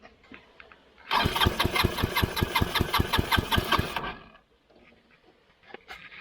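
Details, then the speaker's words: Scooter-engine reverse trike after a crash and years sitting outside, start button dead, cranked by jumping the starter solenoid: three seconds of even cranking with no firing; no spark seen, owner suspects the loose ignition switch or wiring. "I don't know about you but I didn't see no spark there so probably something with this wiring"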